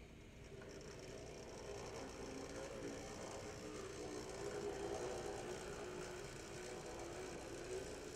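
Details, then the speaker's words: HO-scale brass LMB New York Central 4-8-2 Mohawk #3148 model locomotive with an open-frame motor, running; a quiet, fast whirring buzz with a rough mechanical grind; gear noise. "there is a note that has some gear noise and you'll hear that as it goes"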